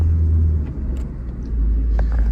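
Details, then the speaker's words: 2012 Ford Focus Mk3 manual driving after a new clutch; smooth, even low road rumble under steady driving with no clunks, slipping or chatter, so the driveline sounds healthy. "oh yeah I'm so happy with how this car drives now this is so awes awesome"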